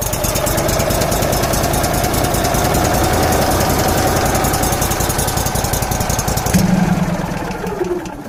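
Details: Kohler Command twin-cylinder engine on a Miller Bobcat welder, after bypassing a faulty carburetor fuel solenoid: fires up and runs with a steady, even beat, about three to four pulses a second, then winds down cleanly; normal running.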